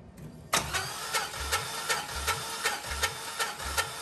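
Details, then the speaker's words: Junkyard 140,000-mile cammed 4.8L LS, cold compression test with the throttle held wide open (flood clear): starter cranks evenly at about 2.5 pulses a second with no drag. That cylinder reads about 145 psi; compression is decent. "so that's just under 150 probably 145 there so not terrible going up a little bit but that'll work"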